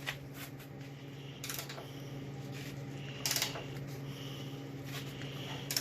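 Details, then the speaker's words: Torque wrench tightening bolts on a full-size Jeep budget build: a few sharp, isolated clicks in a quiet room, each one the wrench breaking over as the bolt reaches set torque. "You hear that famous click? That one's safe."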